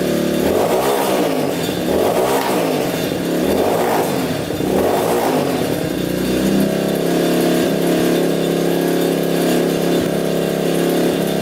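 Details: Yamaha Warrior 350 quad, single cylinder, after carburetor cleaning and fresh fuel; blips then lumpy, burbling idle, still sounding rich and boggy; exhaust pipe blockage suspected.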